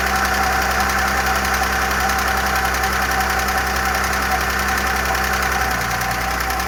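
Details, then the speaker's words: Audi A6 engine restarted after a repair on its oil system: fast, light top-end clatter over a steady idle, gradually fading, as hydraulic lifters pump up; mechanics suspect they may have been damaged by running without oil. "Но гидрики могли убиться, кстати, без масла. Масло также стучало или громко? Да нет, она громче стучала."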